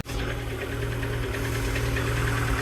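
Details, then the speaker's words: Peugeot Boxer Auto-Sleeper van engine at idle in neutral, hunting and running very rich with a fuel smell: uneven, lumpy misfire-like idle; owner suspects holes found under the bonnet as the cause. "And it has started. You can hear it's got like a a bit of a misfire sound. Don't sound too healthy."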